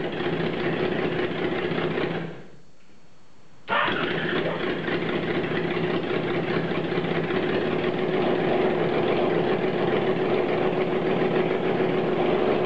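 Engine catches after a short crank and settles into a steady, even idle with no knocks or rattles.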